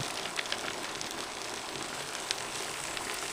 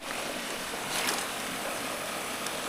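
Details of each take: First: Gravity siphon gold dredge in Puerto Rico pulling material normally, hose kept submerged so no air enters: dense crackling patter with sharper ticks as big stones rattle through the suction hose; normal gravel flow. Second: Gravity siphon gold dredge suction hose broken and drawing in air, which stops the suction; steady airy hiss with no rhythm over outdoor noise, leak heard but not yet located.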